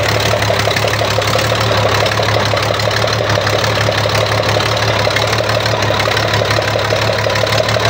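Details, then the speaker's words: Weichai diesel engine after repair for backfire and glowing-hot exhaust (injection pump replaced under warranty, injectors replaced): steady even idle with low drone and light clatter, no smoke, no backfire, power restored; normal idle. "Okay na siya mga tools. Power na. Wala ng usok, wala ng backfire."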